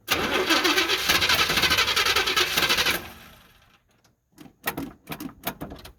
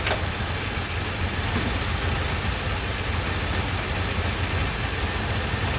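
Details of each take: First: 1978 Chevy C10 after its first oil change in 10 years, with new spark plugs and plug wires, cranked off a jump pack: the starter churns, then weakens into faltering turns and stops without firing because the jump pack is dead. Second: 1978 Chevrolet C10 V8, running off its gas tank after new plugs, wires and first oil change in 10 years: low, constant idle with no surging, ticking or knocking; normal idle, fuel pump working, visible smoke.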